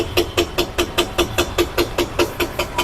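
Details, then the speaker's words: Mazda CX-30 at 50,000–60,000 km idling: sharp, evenly spaced knocks, about five a second, from internal play in the steering rack, felt as a knock at foot level. "aquí logramos ver que en la caja de la dirección internamente tiene el mismo golpeteo y el mismo juego ocasionando El mismo golpe a la altura de los pies"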